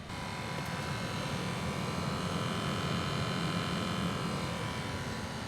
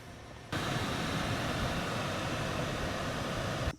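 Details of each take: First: 2005 Lexus GX470 at 276,513 miles, idling: the dash blower motor gives a loud, rough droning roar that has grown louder over months and sometimes won't run without kicking the panel. Worn blower motor, replaced with the cabin filter. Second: 2005 Lexus GX470, 276,513 miles, after replacing the noisy blower motor: smooth, even whoosh of air starting and stopping cleanly, no rattle, ticking or squeal, airflow stronger than in months; normal blower operation.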